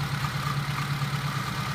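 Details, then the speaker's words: Suzuki that is hard to start and not charging (12.27–12.37 V, no rise on revving), loose fan belt: a quick, regular light rattle over the idle beat from a shot alternator front bearing; alternator must come out. "I can hear the front bearing in the alternator is shot okay alternator's got to come out"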